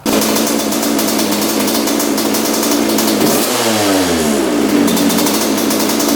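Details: 1986/87 Honda CR125 two-stroke, warmed up, plug wet and rich before air screw adjustment: revs climb then sag and stumble mid-throttle before recovering; bog on acceleration, later traced to an oversized 62 pilot jet.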